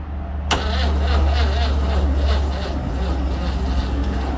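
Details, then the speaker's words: 1960 Grumman Olson Kurbside step van, 235 engine unstarted since 1992, carb refitted and valves apparently freed, cranked by jumping across the starter on a weak, nearly dead battery: sluggish labored cranking, heavy low thumps about three or four per second. "Now I've got a battery hooked up here, but it's weak. I need to get a charge on it, but it will actually turn over real slow, and I'll let you see that."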